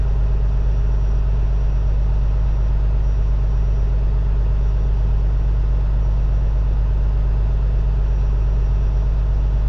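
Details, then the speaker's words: Peterbilt with an ISX Cummins CM2250 with 829,000 on it, after a front structure leak reseal and common rail pump update: steady, even low diesel idle with no knocks, misses or rattles, and the air dryer purges; smooth and healthy. "you'll see the air dryer purge on it and we'll idle it back down see what it sounds like check for leaks make sure we did everything right"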